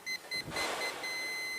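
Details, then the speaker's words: Perodua Myvi A/C, previously replaced compressor: leak detector gives two short shrill beeps, then a rapid high continuous tone at the low-pressure pipe from the cooling coil; oil traces on the pipe. Refrigerant leak; O-ring looks deformed and hardened, to be replaced. "Dan dari sini pun kami boleh dengar bunyi hissing gas bocor."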